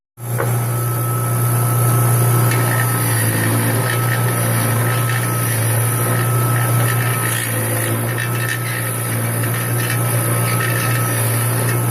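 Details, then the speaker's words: Willys Jeep engine test-fired after pan and head off to fix loose connecting rod bearing; used bearing from parts motor plus shim stock from old bearings over damaged crank. Steady low drone, even firing, no knock; bottom end quiet, normal running. "I fixed the knock the pans going back on I fixed it with some new bearings off of the parts motor"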